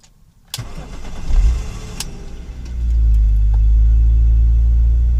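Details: BMW M54 six-cylinder petrol engine cranks, catches and settles into a low uneven rough idle caused by a broken MAF sensor.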